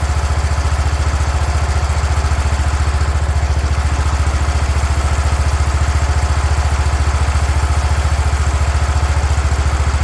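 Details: 36-year-old Toro Wheel Horse 416-8 garden tractor after fixing a leaking fuel line: deep, even thumping about 214 beats per minute, steady speed without misses or surging; sounds pretty good, normal running.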